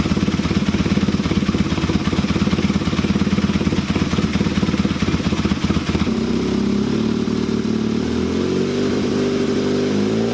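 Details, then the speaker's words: KZ400 motorcycle with Mikuni VM30 carbs, on the bench: steady idle, then after a throttle blip it stumbles and sags, nearly dying returning to idle; mixture definitely richer. "so it's it's definitely richer see how it wants to die like that"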